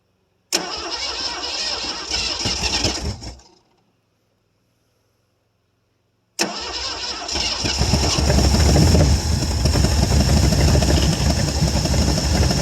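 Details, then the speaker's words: 1973 Ford Gran Torino Sport with a 351 Cleveland, off the road about 30 years, new starter, fuel poured into the carb. Catches quickly, runs rough and dies, then restarts with a loud, uneven run. Keeps running only with throttle. "Give it a little bit of throttle. Try it. Just like that. With fire, it runs."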